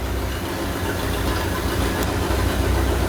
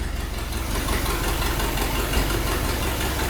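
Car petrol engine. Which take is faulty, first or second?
second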